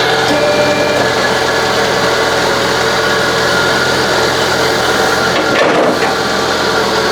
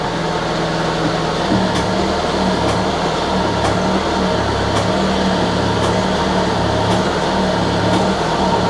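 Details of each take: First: Citroën BX hydraulic suspension and brake pump running with a steady even whirr, no knocking or grinding; still somewhat noisy as the pump is likely empty, normal running. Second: Citroën BX hydraulic suspension and brake pump refilling after being emptied, spool tightened, no leaks: steady pump whir with sharp ticks about once a second over low hum; clicking indicates low hydraulic pressure still building.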